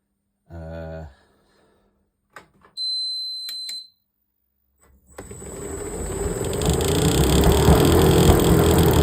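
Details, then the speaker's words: Hotpoint tumble dryer spinning up with a rough rushing grind that swells then fades as the drum slows, caused by a damaged, partly broken drive belt. "My belt's not looking too good. That bit's broken. That's where I'm getting the issue."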